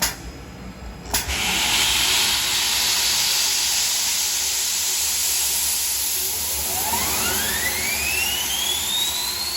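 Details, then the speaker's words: Overhauled GE unit with upgraded EZ Lube oil system, about 8 psi at inboard and outboard bearings, being started with the Easy Lube pump expected to overpower the deadheading auxiliary pump: click, loud steady hiss, then a clean whistle climbing smoothly as it spools up; healthy start. "And upon startup, the Easy Lube pump should overpower the auxiliary pump. This pump will be deadheading and the Easy Lube pump will take over."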